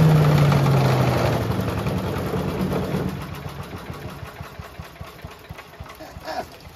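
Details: Mighty Mac wood chipper/leaf shredder single-cylinder after seized choke flap replacement, restarting: catches strongly, then steady even beat about four per second, no misses, engine vibrates heavily; normal running.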